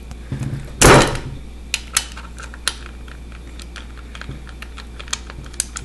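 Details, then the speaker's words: Audi A4 1.8T AEB engine, cylinder head off on the bench, with the cam turned by hand: one loud, heavy clunk, then scattered light ticks as the cam jumps and the cam chain tensioner rises and slams down; owner unsure whether this is normal. "now when I turn this you see it jump [Music] you'll see the tensioner go up and then it'll slam"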